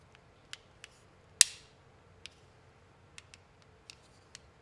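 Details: 3D-printed right-angle enclosure for a UM016 microscope: sharp, crisp clicks like a tactile switch, about a second apart. Thin printed parts are flexing, and their layer lines interlock and scrape past each other; the pieces need more support.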